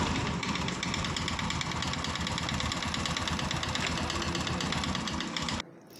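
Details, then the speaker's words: New Bajaj Platina BS6 bike with very low running (title cites 5000 km) idles with a harsh, clattering rattle from inside the engine, then cuts off; engine expected to need opening, head cover removed to find the cause. "आप देख सकते हैं मैंने गाड़ी को start कर दिया है और इंजन के अंदर से कितनी खतरनाक आवाज आ रही है।"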